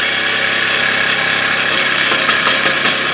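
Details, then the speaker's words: Smiths heater blower motor from a 1959 Triumph TR3A, bench-run on a power pack before disassembly: loud rushing whir with a rough rattly edge, blowing out dirt and debris; owner plans to oil the bearing, expects it to quiet down. "actually doesn't sound too bad we'll probably uh see if we can oil the bearing in there once we take it apart"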